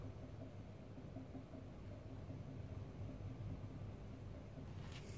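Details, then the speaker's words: 40 kW induction motor driven by a small 4 kW inverter at raised frequency with too little voltage; low, rough, uneven growl as the motor loses synchronism and slows, drawing more current. "so I've got a little bit faster you can see now that the motor is completely lost a sink slowing down now we're pulling more current"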